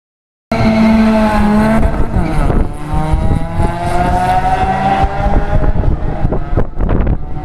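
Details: Opel Vectra B with B204 engine at stage 5 tune revs hard, but the note stumbles and pops unevenly instead of pulling smoothly; a bad misfire under load.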